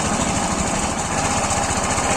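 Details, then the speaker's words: Suzuki scooter after fixing a clutch-side scraping noise: even, steady putter at idle with smooth pulse and no scraping or rattle from the clutch side; the noise is completely gone. "तो दोस्तों यह बिल्कुल आवाज़ इसकी बिल्कुल बंद हो चुकी है"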